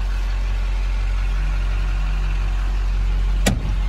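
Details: 2005 Chevrolet Silverado 2500HD 4x4 automatic, 6.6 Duramax diesel, 20,000 original miles: after a quick, easy start, a smooth, quiet idle with an even low rumble and one brief click near the end. Normal idle.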